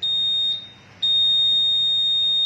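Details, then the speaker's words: Honda Vision scooter smart key unit with ID entered manually but not yet paired: shrill high-pitched beeps, long-short-short-long pattern, signalling unsynchronised smart key. "Thì bây giờ bật lên nó sẽ kêu tít tít bởi vì nó chưa đồng bộ."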